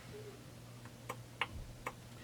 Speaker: shaft has some play in it you can hear that so up and down there's play